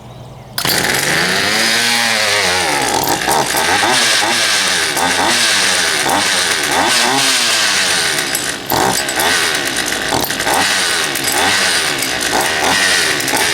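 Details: Poulan Pro 222 38cc chainsaw after the fuel lines were re-routed correctly and a new air filter fitted, started on choke: it fires within a second, then revs cleanly up and down with the throttle without stumbling. It now runs properly.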